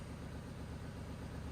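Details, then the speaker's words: Ratty Porsche Boxster, started after fuse refitted: uneven, lumpy idle that never settles, running rough; drain pipes basically straight to the engine, cause unclear. "maybe I mean it's running sounds like ass but it is running so if you're wondering why it doesn't sound great that's because um these drain pipes here are basically straight to the engine"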